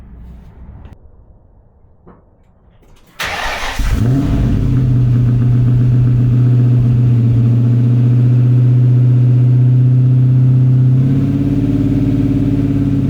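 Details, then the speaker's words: 1994 Mustang GT V8 just fitted with a Pypes SFM29V stainless catback replacing droning Flowmaster Super 44s, heard 8-10 feet away: fires quickly into a deep, steady rumble with a brief rev blip, no rattles or misses; aggressive but healthy. "It's time to get inside the car and fire it up, see what it sounds like. You're 8 to 10 feet away, and so you're gonna get the full blast, I"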